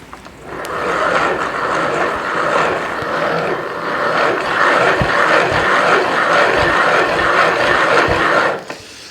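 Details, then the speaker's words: E-bike Bosch mid-drive motor with the chain removed to isolate motor noise, cranked by hand: rough, gritty grinding that swells and fades each crank turn, slight side-to-side play; worn bearings, motor needs service or replacement. "that is a motor that you should be concerned about uh worried about because it's just not right at all"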